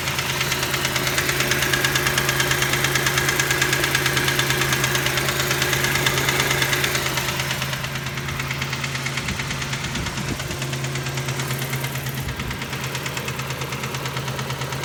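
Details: 1989 Toyota 4Runner 3VZ-E engine at idle: a sharp, even knock about three times a second, seemingly from the upper front area. Owner guesses a bent rod and/or spun bearing; not confirmed.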